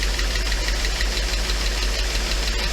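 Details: Mercedes 500E W124 engine's first start, with low oil (about six quarts, not enough): fast even ticking over a steady low drone; sounds like lifters not yet pumped up, likely oil-starved; engine shut down to add oil.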